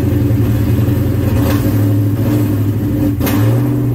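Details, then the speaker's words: Engine idling at about 1100–1200 rpm after tightening a loose hood-area ground wire that made the tachometer misread: steady, even low hum with a light smooth rev rise, no knocks or misses; normal idle. "oh and there she is island at about 1200 rpm 1100 we got 1100 rpm right there"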